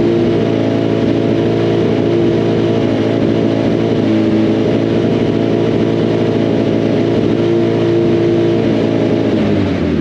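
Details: Freshly rebuilt 2006 Hayabusa four-cylinder engine on first startup during break-in: steady, even note with light blips, no knocks or ticks, running healthy.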